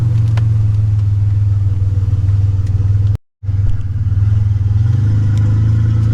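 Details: 1985 Nissan 300ZX Turbo (Z31) driving after misfiring under boost, new spark plugs and wires and replacing a torn intake/charge-pipe hose that caused a boost leak: loud deep exhaust pulling hard, short gap, then strong pull again; builds boost without cutting out.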